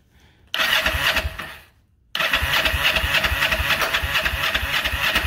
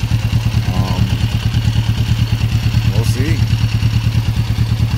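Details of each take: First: 1994 Kawasaki Vulcan 500, 12,266 miles, second start in 3 years, cold start on choke; fires and races, dies, stumbles and cuts out; hard starting, carb rebuild planned, cause unconfirmed. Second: 1994 Kawasaki Vulcan 500 twin, 12,266 miles, air filter clean, carb still leaking slightly awaiting rebuild kit; steady even low thrum, no misses, mechanically a bit loud; normal idle.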